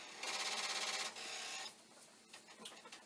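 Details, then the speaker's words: Commodore 1541 disk drive (C64), after about 1500 torture-test cycles, repeatedly trying to initialize/read a disk: fast buzz-rattle about three per second, then scattered ticks and clicks — read failure, cause not confirmed; mechanism later relegated for parts. "i have been torturing this destroyer and we're now up to 1500 i'll report 12 times that it has tried to initialize or you know read a dish"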